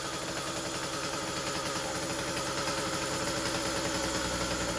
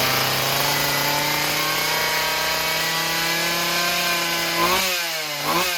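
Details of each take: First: Husqvarna 36 chainsaw after stuck-needle repair, running: steady, fast buzzy idle with no hunting, set so high the chain spins; idle then adjusted down until the chain stops, and the high end still sounds rich. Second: Chainsaw after freeing stuck carburetor needle, throttle rod not reattached: steady high buzz and quick blips rising and falling cleanly; runs properly.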